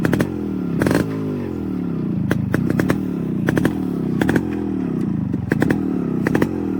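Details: Restored Yamaha RX 135 two-stroke with its original engine and an RX-Z exhaust fitted: crisp ringing crackle, pitch climbing and dropping cleanly with quick throttle blips; the engine runs healthy and free.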